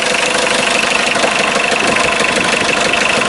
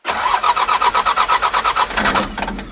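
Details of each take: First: 1984 Mitsubishi Mighty Max 4x4 5-speed turbo diesel, 156,189 miles, started still cold after about five seconds of glow plug: even diesel clatter at a steady idle, no misses or knocks. Slight blow-by noted. Normal diesel idle. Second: 1984 Mitsubishi 5-speed turbo diesel 4x4, cold start with no glow plugs; quick even compression pulses for about two seconds, never catches and winds down; cold no-start without glow plugs.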